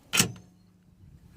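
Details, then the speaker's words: 2001 Jeep Grand Cherokee liftgate lock actuator, plastic cover off, giving two short crisp clacks a second apart: the normal lock/unlock sound, while other cycles make an awful noise and the gate won't lock; owner believes the actuator needs replacing. "okay that's how it's supposed to sound"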